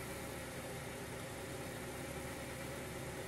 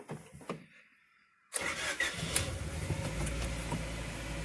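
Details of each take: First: 2000 Honda Prelude SH, H22, first start in six months after taking it apart to fix a long-standing surging idle. Now a steady, smooth idle with no surging, a touch high; owner suspects the throttle cable or a dirty intake, but tolerable. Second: 2000 Honda Prelude SH H22, right after a cold start: idle rises and falls in slow waves about every two seconds instead of holding steady, a problem of six months; before the fix.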